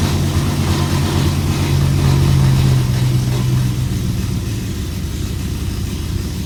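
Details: BMW E92 M3 V8 with a deep idle, an uneven lumpy beat and wavering revs, stumbling at idle. It throws multiple misfire codes and pops badly on cold start.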